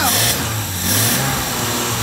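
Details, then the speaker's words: Series 1 Jaguar E-Type's first start after 30 years, hot-wired coil positive to battery positive on positive-ground system: engine catches and revs cleanly, smooth rising and falling pitch, no knocks, misses or backfires; sounds like a modern car, normal running. "blue lights up it sounds like a modern car"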